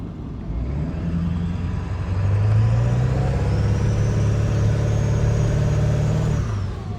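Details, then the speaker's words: Diesel truck after fitting a new aftermarket turbo, said to flow 35% better than the factory unit: pulls up smoothly through a couple of revs and settles back, even and strong with no misfire or rattle; running healthy. "But the truck is running good again. It sounds sick with the new turbo."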